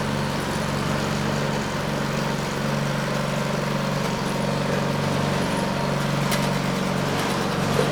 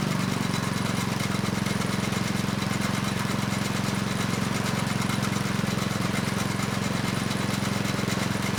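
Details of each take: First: Neglected Craftsman snow blower 247.889571, choke on and primed, belt cover off, drive cable pulled to engage friction disc: steady, even engine drone, no knocks or misses, pulls smoothly under drive load; engine, drive and auger good. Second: Neglected Craftsman snow blower 247.889571, after carb work, running steady with choke off: faint rough scraping over even engine beat, apparently from belt area.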